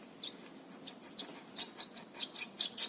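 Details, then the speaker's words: Renault Sandero steering column: short, high, chirpy squeaks in uneven bursts about twice a second as the wheel moves, from the column bearing; replacing the part is the proper fix. "na foto o rolamento aqui dentro faz esse ruído para ver aonde que o mate porque eu não consigo ver direito vem aqui dentro aqui ó tem um rolamento"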